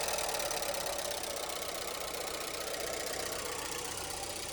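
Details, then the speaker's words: 1989 VW Fox abandoned for years, running after fuel system rebuild with fuel leaks: fast light metallic ticking about four per second over an unsteady idle; oil on dipstick, judged just a noisy valve train. "Yeah, we got a oil. It's just a noisy valve train."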